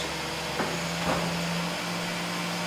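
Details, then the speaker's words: 2001 Ford Taurus 3.0L V6 with crank-no-start, fuel pump found shorted at about 1.2 ohms (spec 8.5–15.5): after replacing the fuel pump, a short crank, then it catches and settles into a smooth, steady idle. "looks like we have a faulty fuel pump after replacing the fuel pump we attempt to crank the vehicle and it"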